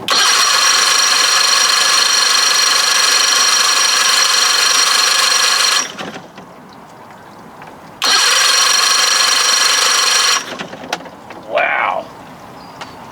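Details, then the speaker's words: 60 hp Johnson outboard, after solenoid and battery work: two long bursts of fast, even cranking with no firing at all. The owner wondered if it was flooded; no spark was found afterward. "Why didn't it start didn't we flooded man it's never started fast before"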